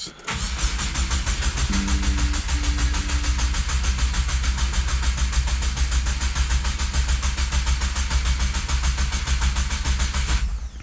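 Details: 2022+ Subaru WRX, just after Mishimoto oil cooler install, cranked about ten seconds without starting to prime the cooler with oil; even, steady cranking with no grinding or catching, normal.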